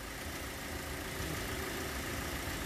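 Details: 2017 Hyundai Elantra idling after the negative-cable battery sensor was replaced for an intermittently flashing battery light (new alternator, battery about 1.5 years old, charging 14.2 V): steady, even idle with constant hiss over a soft low hum, no stumbles, knocks or squeals; normal.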